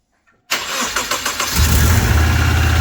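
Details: 23-year-old Subaru boxer restarted after water pump replacement, checking for leaks: engine catches cleanly and settles into a steady, even idle with no stumble or knocking; sounds healthy.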